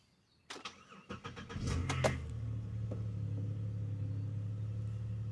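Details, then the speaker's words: 2009 Chevy Impala with overheating issue, sat a year with battery disconnected: brief crank, fires right up and settles into a low, even idle with no misses, knocks or white smoke; healthy cold start. "Fired right up. Huh. Sweet. Got that going for me. I mean, it's not bellowing white smoke right now, so maybe that's a good sign. Man, this thing is purring like a kitty kitty kitty right now."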